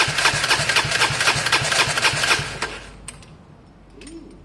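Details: Gilera DNA 125 with a completely new coil and lead fitted: starter whirrs in even pulses about four a second for under three seconds, never catches; cranks but won't start.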